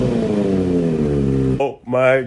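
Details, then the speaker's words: Salvage wrecked Kawasaki Ninja ZX6R after crankcase cover cleanup, oil change and muffler reconnected: steady, even engine note with smooth fast beat and clean throttle blips; normal idle, engine healthy. "gosh she don't start she sounds just perfect this is super good news guys you have no idea super good stuff so the bike does that the engine sounds really healthy"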